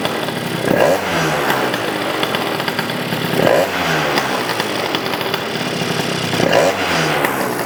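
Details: Yamaha BWS 100 two-stroke scooter built with Malossi 125cc kit, after carb tuning, airbox off: three sharp crisp rev blips over steady buzz, no gurgling or stumble; revving cleanly, sounds much better.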